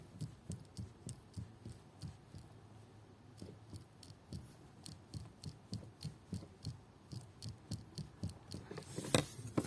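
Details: Opel Astra H steering shaft (universal joint) rocked by hand: dull clunks about every half second; knock felt through the steering wheel over speed bumps and asphalt joints, shaft looseness suspected, unconfirmed.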